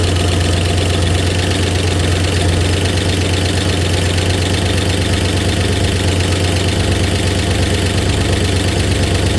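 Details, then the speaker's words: 1964 Oldsmobile 394 V8 cold start with slight exhaust leak under left manifold: even low idle with light quick tick about three per second, owner thinks it smooths out once oil pressure builds, oil pressure unverified; ticking at cold idle. "a little bit of a tick it tends to smooth out I think once we build oil pressure"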